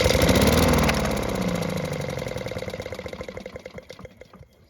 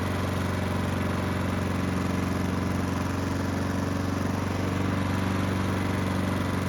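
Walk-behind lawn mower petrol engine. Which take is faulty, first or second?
first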